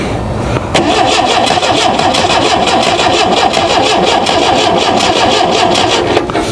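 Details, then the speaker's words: Ford Pinto-engined kit car, sitting outside since 1995, after fuel poured down the carb with choke on: starter spins with quick even chugging, never fires; owner suspects flooded cylinders and smells gas. "It's probably floated now. If I had to guess, I almost guarantee it. Well, you know what, too? I did turn the choke on."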